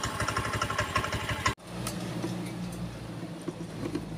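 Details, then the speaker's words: Honda Scoopy scooter, hard to start, just fitted with a new battery: uneven, stumbling idle with irregular pulses for about 1.5 seconds before cutting out; a weak fuel pump reads below the expected 40 pressure, causing rough running. "Oke, lalu kita coba starter ya, karena baterainya sudah kita ganti dengan yang baru ya. Oke, dah hidup sobatku, cuman merepet, tak bisa digas."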